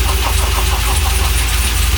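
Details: Freshly rebuilt LS1 V8 from 2001 Holden SS Commodore with very choppy Crow cam, swapped into 1978 C3 Corvette, after fuel primed: catches and settles into a lumpy, choppy loping idle, steady with no misses; healthy first start.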